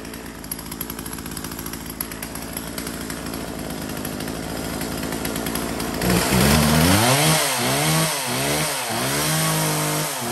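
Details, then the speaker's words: Husqvarna 36 two-stroke chainsaw test run: small engine buzzes steadily, then rises and falls smoothly with repeated throttle blips; picks up cleanly, starts and runs well, sounds healthy. "Móc thì nó rộn nổ ngon lành rồi các bác nhá."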